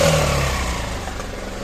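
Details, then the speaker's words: 2016 Yamaha Xmax 250 scooter at start-up: a short blip then a loud, raspy, hollow exhaust roar with no leak; the scooter also shows take-off vibration and clutch slip. "belli egzoz sesi bu şekilde kaçağım yok ama bayağı gürültülü"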